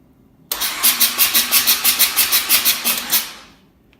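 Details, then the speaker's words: Mazda RX-7 S5 Turbo II full bridgeport-ported rebuilt rotary with rebuilt rotors, cranked without ignition before first start: starter spins evenly at three compression pulses a second; smooth healthy cranking. "sorry this engines countered to turn but there's one of them and you can hear the compressions"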